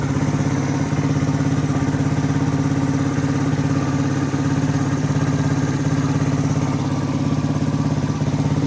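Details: 1985 Suzuki DR250 survivor just revived, straight fuel line replacing the kinked filter, still warming up: steady even low thumping at a slightly low warm-up idle, no ticks or knocks, no cam chain noise.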